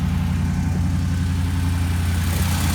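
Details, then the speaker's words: V8 race truck first start after re-welding a header that nearly broke off a cheap weld: smooth even low idle with steady pulses, no header ticking or puffing; slightly rich on wideband at first; healthy idle after repair. "welded nice sounds like a finally changed sewing machine again instead of that clapped out nonsense so pretty awesome"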